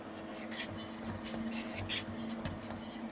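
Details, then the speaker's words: 1972 Suburban with an LT1, in Drive, under a loud exhaust: a dry scraping rasp in uneven bursts from a loose shield scrubbing the spinning driveshaft; prying the shield away stopped the noise. "I think I know what the problem is I can barely hear it cuz this exhausted so loud but this little Shield right here on the drive shaft we listen to"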